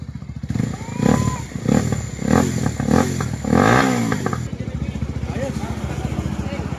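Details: Rouser 180 single-cylinder motorcycle after repair (piston rings and gaskets refitted, tensioner and clutch lining replaced) idles with a steady, even beat and no tapping or rattle, under voices and music; engine sounds healthy.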